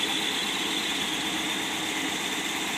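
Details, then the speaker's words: 1955 Ford Thunderbird Y-block on a test stand, not yet warmed, with muffler: smooth even idle at about 1000 rpm, no smoke, oil pressure 42.5, vacuum steady at 20, charging just under 15 volts; normal idle. "you can see motor runs smooth without any smoke"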